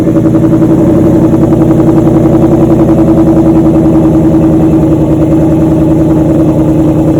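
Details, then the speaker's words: 2014 Ford Mustang GT V8 at idle after installing LTH over-axle pipes with GT500 mufflers, checked for exhaust leaks at the hose-clamp connections; deep, steady, even burble with no ticking or puffing. Idles normally, no leak heard. "It's a little bit late, but I'm gonna go ahead and start up the Mustang, see what it sounds like."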